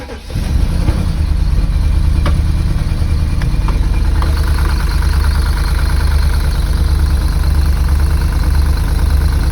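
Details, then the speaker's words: Cheap, heavily oil-leaking UK V8 as found at viewing: it cranks, catches and settles into a lumpy, uneven, irregular idle; the buyer and a mechanic friend suspect the engine skipped timing. "we deciphered that potentially it skipped the timing on the engine because when we went to view it it ran like this"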